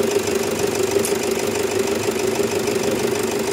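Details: Toyota Fortuner diesel idling after replacing the faulty alternator pulley (previously not charging, noisy, rough): steady mid-pitched hum with no knocks, squeals or rattles from the pulley side; alternator noise gone, normal idle.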